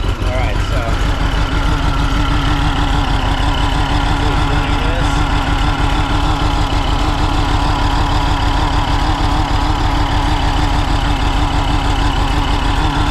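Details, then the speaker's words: 1961 VW Beetle with AMR500 supercharger on new 4-rib serpentine belt and tensioner: steady even idle near three beats a second, smooth blower hum, no squeal or chatter; normal operation. "so that's my progress you can hear it and it definitely makes a different noise when these are open and just blowing some air um but it does turn"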